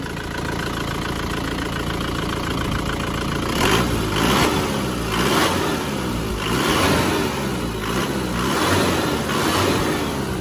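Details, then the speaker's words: Panther diesel pickup after repair of blow-by that appeared after an oil change (gasket lacking sealant): even idle then quick throttle blips rising and falling cleanly, no knocks; fixed, exhaust now good, a possible loose-plate rattle remains. "Sudah mantap knapotnya. Gimana? Sudah mantap."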